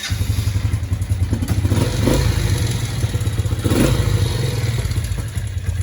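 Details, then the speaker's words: Suzuki LT80 quad, previously blown up, first start of the day with new key switch: quick fairly steady small single-cylinder thumping with a couple of throttle blips; idles once warmed up, normal running. "From blown up to running. It idles once it warms up, but and that's the first time I started it today."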